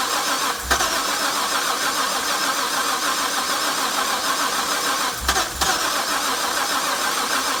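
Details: Harrop supercharged LS1 cranks with a couple of brief surges but never catches. Earlier crank position sensor fault code; new sensor ran it for half an hour, then backfiring and stalling. Fuel replaced; rail pressure 60 psi cranking, no check engine light. Cause unclear.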